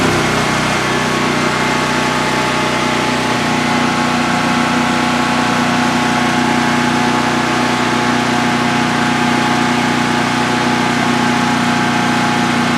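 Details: DuroMax XP15000HX generator newly installed in a shed, second start-up, exhaust fan off: steady, even drone with constant hum and no surging, knocking or hunting; runs smooth and healthy.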